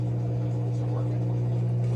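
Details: Whirlpool washer WFW75HEFW0 after the F3E1 slow-drain repair, drain pump tested with the machine open: steady low hum, constant tone, no rattle or grinding, water moving freely. Pump now normal; before the repair the drain took 5 minutes instead of about 3 seconds.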